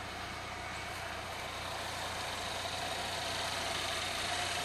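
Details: 2011 Chevrolet Equinox 2.4 Ecotec VVT idling about 450–500 miles after a timing set and cam phaser replacement, heard with hood down; steady even idle, no knocking or rattle, no check engine light, outdoor hiss.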